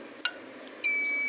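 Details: Two-plate stove with oven, testing the oven switch in the off position with meter leads on the line and load terminals: a click, then a steady high beep of about two-thirds of a second. Continuity, so the switch is good.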